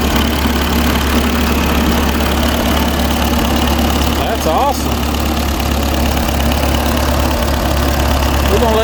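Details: Ferguson TO20 tractor sat for years: engine ticks over at a steady, even idle with no misses or knocks, rain and background noise over it; normal idle.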